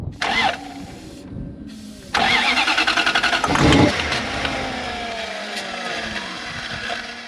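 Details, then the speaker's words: Toyota 1UZ V8 in an FJ40 Land Cruiser barn find cranks in bursts, then catches into a lumpy, stumbling idle that misfires, likely not firing on every cylinder. Very seized injectors are suspected. "i think we've probably got very seized injectors"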